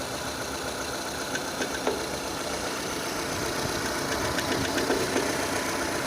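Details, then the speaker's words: 2006 Renault Scenic II, K4M 1.6 engine, automatic, 202,000 km: knock appeared, coming from below and increasing as the engine warms; fairly regular light knock about four per second faintly under a rough warm idle; cause undetermined; engine knock. "Звук идет откуда-то снизу. Сейчас все отчетливее будет слышно."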